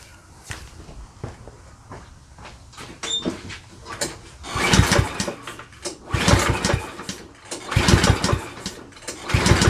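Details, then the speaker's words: Certified self-propelled push mower with bagger and a missing oil dipstick, in a function test: repeated pull-cord bursts about every 1.5 seconds with brief cranking. It never catches; the engine turns but won't start. "he said he just can't get it started so let's just do a uh function test first and we'll go from there"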